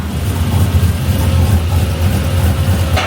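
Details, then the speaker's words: LS V8 swapped into a 1988 Ford Bronco, new tune, early running: low, lumpy idle that hunts and stumbles; running rough and visibly rich, a swap attempt didn't work right, severe oil leak also present. "Alright, so we're running, but we're not happy. No, it's not happy. I think the 99... I can see it rich."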